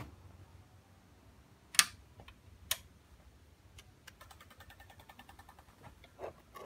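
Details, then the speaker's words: 5.7 G3 Hemi with F.A.S.T. EZ-EFI fuel and MSD 6013 spark, drive-by-wire throttle converted to manual, engine off at key-on: a brief burst of fast, even light ticks, the injectors priming normally. "can hear the injector's prime the idle motor always sits at around 90 when you park"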